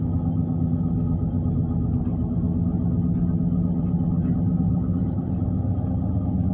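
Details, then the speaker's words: Right front wheel heard while driving: deep steady roar and rumble, louder than the other tires, no ticking or grinding; bad ball bearing in the right front wheel bearing, later confirmed. "we're trying to see what's wrong with this uh this right front wheel seem like it's roaring like it might be uh ball Burns in the wheel or something"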